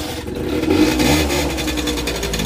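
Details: Peugeot Speedfight scooter after fitting a stand and giving it its own power source, following a new fuel filter: fires up and revs up and down cleanly with a buzzy, steady note that holds without cutting out; normal start and rev.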